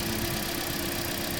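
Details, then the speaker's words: 2016 Toyota Corolla 1.6, over 1 lakh on the clock, unknown history, idling rough and uneven under a steady drone with a stumbling beat; heavy misfire, codes P1603, P1604, P1605; clogged injectors or fuel filter suspected. "मैं आपको दिखाता हूं इसकी misfire कैसे हो रही है sensor की तरफ से।"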